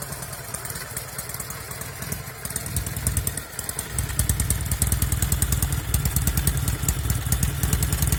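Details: 1974 Norton Commando 850 twin idling with un-muted silencers and tighter header clamp seals: lumpy uneven beat, occasional misfires from the left cylinder, which also visibly smokes.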